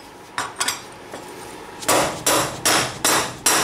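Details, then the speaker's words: Yamaha Banshee front wheel hub, tapping a new wheel bearing in after the spacer: light taps, then sharp solid hammer blows at about three per second. The solid ringing hit means the bearing is fully seated in the hub. "You hear that solid hit? That means it's all the way in."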